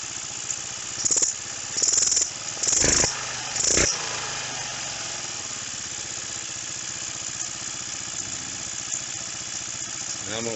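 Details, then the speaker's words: Roketa 150cc GY6-style scooter with carb mixture screw being closed: engine revs in blips, then settles to a thin, uneven idle that falters and backfires slightly. Mixture too lean, wrong direction. "just that one turn it doesn't bog as much so i'm closing it just to get an ear for what's going on you can hear how it backfired a little bit so we're definitely going the wrong way"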